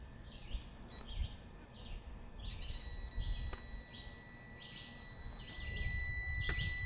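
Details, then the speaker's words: Outboard (Evinrude parts listed) kill switch circuit test with a multimeter on the kill switch wire to the remote control: steady beep stops cleanly when the key turns on, so the circuit is good. "when i plug it in it's going to start beeping when i turn the key on it should stop beeping if the kill switch circuit is"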